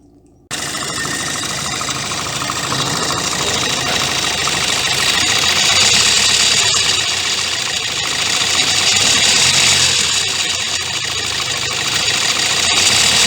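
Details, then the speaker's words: 2016 Kia Sportage 1.7 CRDI diesel, fully warmed up, hood open, phone near engine: fast, even metallic rattle about three to four per second up top at idle, timing chain noise; worse over time, persisted after accessory belt and pulley replacement. "noise from the timing chain the noise that actually the timing chain is doing so just make sure you warm up the engine properly before because that's when probably you experiencing this type of noise from the engine"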